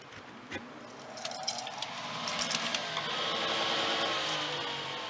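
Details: Harman XXV pellet stove exhaust blower after fitting a new motor and fan: a few clicks, then a smooth hum rising steadily as it spins up, with no rubbing or rattle; running normally.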